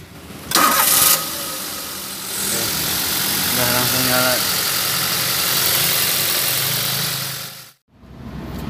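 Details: Car that cranked but would not start, after refitting the fuel tank: short crank, catches quickly and settles into an even steady idle; normal start and idle after repair.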